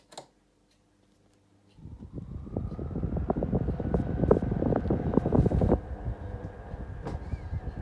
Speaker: That noise is really annoying and only happens when the fan is tilted like around this like level area. If it's all the way up or down, it doesn't make a noise.